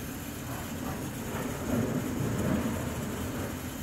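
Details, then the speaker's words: Beretta dual-heat-exchanger boiler while drawing hot water: rough bubbling rumble with irregular crackles from the top as water boils in a limescale-clogged exchanger; the noise stops when hot water is shut off; fix is acid descaling with a pump. "a questo rumore che probabilmente è sopra l'acqua che bolle all'interno dello scambiatore."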